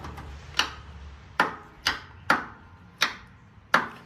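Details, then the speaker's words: Wheel Horse riding lawnmower with new battery, voltmeter on the starter side of the solenoid: single sharp clicks about once a second with no cranking; bad starter solenoid not passing current, replacement ordered. "yep that solenoid is bad"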